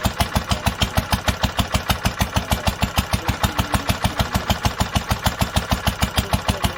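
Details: 1946 International Harvester LBB 3-5 hp water-cooled single-cylinder on first cold start after sitting long covered, started after two choked pulls; steady even putt-putt about five beats a second, no misses or knocks: normal healthy running.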